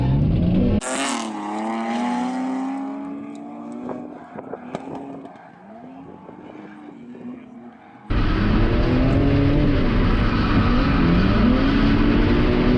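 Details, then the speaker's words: BMW E46 328Ci drift car after fitting a DIY swirl pot to fix fuel starvation, run with an almost empty tank: engine screams cleanly at full throttle over tyre squeal with no bogging, so fuel delivery is holding up. "even draw off all the fuel and went for a run with almost an empty tank and you could just floor it and it wouldn't bug down it just didn't care so yeah this swirl pot setup just works really good"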